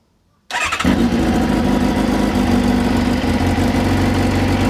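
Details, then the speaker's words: Kawasaki ZZR600 under restoration after fitting new full stainless steel exhaust system to cure major exhaust noise: quick start, then even, settled idle with deep steady exhaust note, no rattle or buzz; previous noise gone. "it sounds amazing. And all that noise has gone. So, I could not be happier with that."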